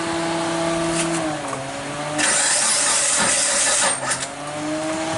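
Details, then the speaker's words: Mitsubishi Lancer 4G18 (2003–2006) that stalled suddenly while driving, no DTC, no spark: starter whirs at a steady pitch, sagging and recovering, engine doesn't catch; timing marks appear off; abnormal cranking. "don't sound too promising and from the looks of things here it look like what you want to show if my timing is off"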